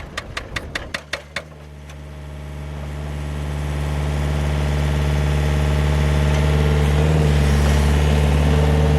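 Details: GPS-guided vineyard post driver: quick run of sharp pneumatic hammer blows about four a second, then engine climbs to a steady high-rev drone, held high while driving posts into hard ground; loud but normal operation.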